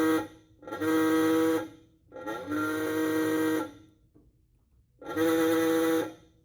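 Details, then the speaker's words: 1931 Ford Model A Coupe horn after a few turns of the armature adjustment screw: three short buzzy, reedy blasts with uneven starts; still needs adjusting and the button contact is sluggish and unreliable. "Needs a little work. I think too the contact in here too is a little sluggish too. I have to hit that button in a certain location or a certain position to make it contact correctly."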